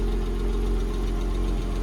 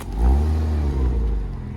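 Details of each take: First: A Porsche Boxster that sat unused for a couple of years, on its first cold start, warming up at idle. Light regular ticking, about three a second, sounds tappy; the owner suspects it is from sitting long and the cold start. Cause unconfirmed. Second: Porsche Boxster, just over 100,000 miles, unused for a couple of years, driven up and down the yard: deep, even engine drone rising and easing with throttle; earlier tapping completely gone, valvetrain sounds healthy.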